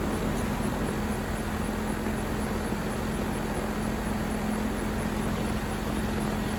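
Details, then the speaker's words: 2023 York AC outdoor condenser running in cooling mode after the evaporator coil was replaced to fix earlier freeze-up; smooth fan rush over steady low compressor hum, no rattle, squeal or cycling, healthy. "ever since then uh it's been cooling just fine thankfully"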